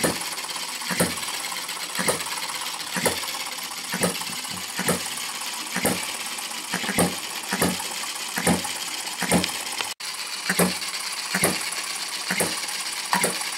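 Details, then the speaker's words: Retrol HM-01 7cc four-stroke horizontal hit-and-miss model engine, restarted after draining excess cooling water, fires crisp single pops about once a second with steady coasting gaps, a puff of smoke at start; sweet, evenly governed normal hit-and-miss running. "wow what a sweet running engine"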